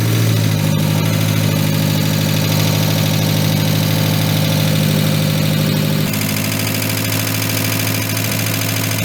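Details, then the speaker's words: Engine first started after head gasket repair, cold: fast light top-end ticking at idle, dry tappets before oil reaches them. "that's that dry taic you can hear"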